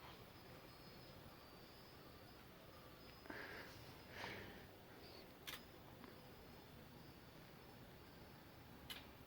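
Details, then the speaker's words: LG 60PV250 plasma TV turning on and off with no display: quiet set with a few sharp power-board relay clicks seconds apart as it tries to start and drops out; VS and VA voltages missing, Y-sustain board shorted. "and it's go off clicks then goes off so that's the problem"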